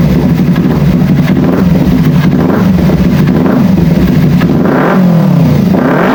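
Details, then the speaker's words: Kawasaki Ninja 250 FI after throttle body reinstalled, previously stumbling, low power and weak fuel pump pressure: quick rev blips climbing and dropping cleanly with no stumble or hesitation; throttle response now sharp and normal. "Syukurlah, respons akseleratornya tajam. Sekarang kita akan mencobanya untuk melihat hasilnya."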